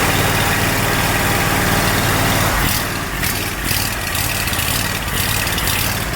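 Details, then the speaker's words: Exmark zero-turn with Kawasaki FH580V 19 HP V-twin surges and idles roughly, its beat dropping and recovering; new coils, fuel pump, filter and carb cleaning didn't help; cause was a missing carburetor Welch plug, before repair. "so there's a little cap that goes on top of that hole there that is fall out fallen out it's called a welt plug so two weeks working on this thing I finally figured it out"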